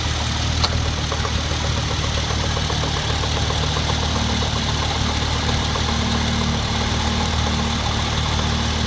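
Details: Hyundai Genesis Coupe 3.8 V6 started cold in winter: steady idle with an irregular knock or click a couple of times a second, starting and dying out after 5-10 s; owner suspects a belt-driven accessory or A/C, notes refrigerant-like odor.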